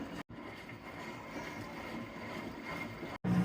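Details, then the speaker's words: LG washer after drain pump motor replacement (PN 4681EA2001T), during Speed Wash test; steady low hum with water rushing, no grinding or rattling; new drain pump running and draining normally. "drain pump is working like a champ I can hear the noise down here smooth and out here you can hear it draining"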